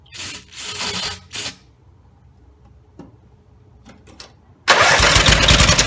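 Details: Rebuilt Briggs and Stratton 17HP (carb rebuilt, plugs, sump, oil slinger, gaskets replaced, valves reseated) cranks in short bursts, fires and roars flat out, staying running only at full throttle; dies at idle; owner suspects the throttle linkage lever isn't resting on its screw.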